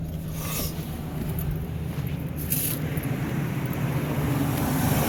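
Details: 2000 Ford Excursion Triton V10 idling after new spark plugs, ignition coils and a replaced steel line: smooth, steady low rumble with no misfire, stumble or leaks; a light valve tap is present, suspected lifter or cam follower.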